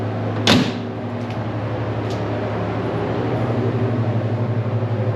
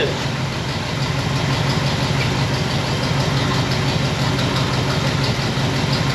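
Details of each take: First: 1960 Pontiac Bonneville with AFB carb, dwell a little high at about 30 degrees: steady low even idle hum with a door-like thump at the start; smooth unbroken running, normal. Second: 1960 Pontiac Bonneville V8 with AFB carb: uneven loping idle with irregular firing pulses; running rich, with points dwell set far too high, read off the six-cylinder scale instead of the eight-cylinder one.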